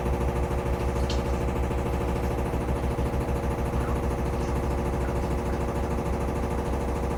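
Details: Samsung FlexWash upper washer on Delicates cycle: fast steady spin with repeated thumping about three times a second over motor hum, machine shaking though not touching the dryer; banging during spin, cause unknown.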